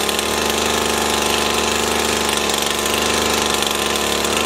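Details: Stihl FS 80 R two-stroke trimmer, after fuel line, primer bulb and ignition coil repair, runs at constant high revs with an even, clean buzz and no misses or surging; running normally.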